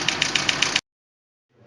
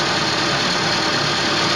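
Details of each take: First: 2012 Chevrolet Niva, knock in the cylinder head: sharp light ticking about seven times a second over steady idle; second-cylinder hydraulic lifter not pumping up, leaving the rocker loose. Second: 2012 Chevrolet Niva after replacing a faulty hydraulic lifter that wasn't rising on the cylinder 2 rocker, which caused a cylinder-head knock: steady, even idle, no ticking or tapping in the top end; runs normally.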